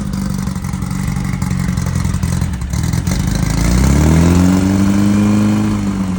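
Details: 1968 VW Beetle rally car, newly installed air-cooled 1776cc flat-four, first start for break-in on a roughly 95° day: catches and revs smoothly into a steady, even rumble with no knocks or rattles; normal running.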